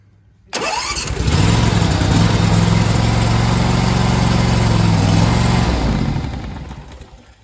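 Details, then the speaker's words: Riding mower after charging a battery that read 10.5 V, before choking: starter spins the engine steadily at about four beats a second for five seconds but it never fires; cranks, no start, electrical circuit confirmed good. "Okay, see how it's cranking and not starting?"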